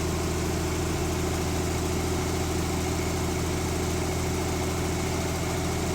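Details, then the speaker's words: 1970s Mercruiser sterndrive (slight float drip) being winterized, after a little throttle: a steady, even low rumble with no knocks, misses or ticks; warming up with oil pressure and charging good; normal warm idle. "ah it's starting to warm up got an oil pressure going and we got some charging going which is good"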